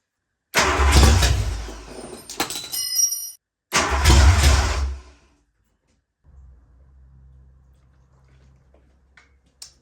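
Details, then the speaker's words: Ford Fox-body Mustang, freshly rebuilt 302 V8 with new cam and MSD ignition, first start with just a little gas poured in, no fuel pump. Two short bursts of firing catch then die within seconds: fuel-starved start and stall. "That was a little too much. So I'm going to rig up a temporary fuel system with an electric pump and see if we can get it to somewhat idle."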